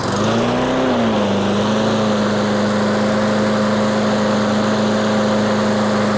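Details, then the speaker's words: Troy-Bilt 21" mower with Briggs & Stratton engine, test fire after reassembly with cleaned carburetor, new fuel line and cleaned air filter, before oil change: catches, hunts briefly, then holds a steady even buzz with no misses or surging. "We'll give it another test fire real quick to verify that we didn't kink any linkages or anything when we put all that stuff back on, because sometimes you can do that."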